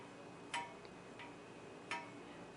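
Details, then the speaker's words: Vintage Arctic Air fan, blades spun by hand after low/medium test, shaft noticeably loose: sharp isolated ticks about every 0.7 seconds as blades coast; something hitting, source not yet found. "quite sure what's hitting what so notice that this shaft is pretty loose older if that's sources noise see if I just spin this manually"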